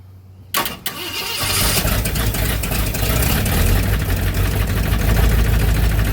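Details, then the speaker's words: 1965 Ford Thunderbird after rebuild, just after advancing ignition timing: cranks, catches and settles into a lumpy uneven idle with a sharp puffing chuff every beat; owner says a giant exhaust leak worsens the sound. "You know, that giant exhaust leak ain't helping the way the way it sounds."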